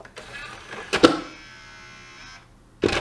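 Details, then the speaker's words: Xbox 360 version E disc drive: clunk as tray shuts, a second of motor whir, then another clunk as it drives straight back out, with or without a disc; tray won't stay closed. Cause not yet found. "it's coming out again let's close it and it's coming out with them again doesn't matter if I put in a disc or no it's doing the exact same thing"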